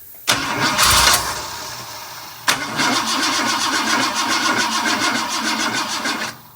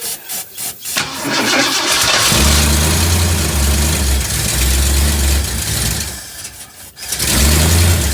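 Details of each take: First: 1958 Ford F100 after fuel line replaced, cranking to get fuel up: two bursts of sluggish labouring cranking just under four turns a second, never firing; low battery slowing starter; slow cranking from low battery. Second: 1958 Ford F100 with carb work and a replaced fuel line, cranked to get fuel up to the carb, choke on, fuel filter suspected as part of the earlier problem. The starter cranks a few beats, then it catches and settles into a steady idle with a brief dip: normal running.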